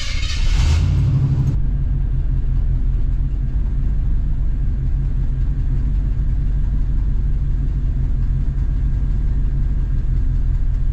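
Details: Plow truck in a snowstorm, still running rough after a vacuum hose was replaced: a deep, heavy rumble that never settles into a clean idle. Owner still suspects fuel starvation and plans to test the in-tank electric fuel pump.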